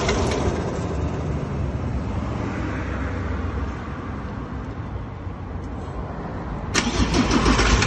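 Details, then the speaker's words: 2017 Ford Ranger diesel, 67,000 km, owner's phone recording: hard regular knock about four beats a second over idle, steady; no power loss or oil use; suspected injector or internal engine fault. "Ele falou, ó, o motor não perdeu força, não deu uso do óleo, mas tem esse barulho feio aí. Pode ser bico, moçada."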